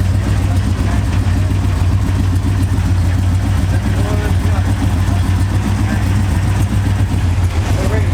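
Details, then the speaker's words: Honda Integra after exhaust repair, which was previously basically straight pipe off the headers: a deep, steady, muffled idle rumble with no blatting or raspy noise, so the exhaust sounds sealed and healthy. "Sounds much better. Before it was basically straight pipe off the headers."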